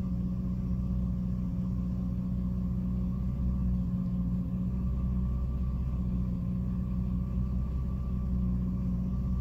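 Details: 2006 Jeep Liberty at idle with A/C off, low rumble with an uneven pulse and brief sagging dips; it randomly stumbles and nearly dies, cause unknown.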